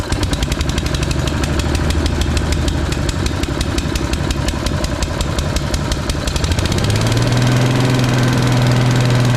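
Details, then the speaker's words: Briggs & Stratton single on Agri Fab Mow & Vac leaf vacuum after valve adjustment to about 25 psi compression and carb/fuel work: steady even beat with smooth hum picking up slightly near the end, running healthy. "oh well that runs really nice I'm kind of shocked"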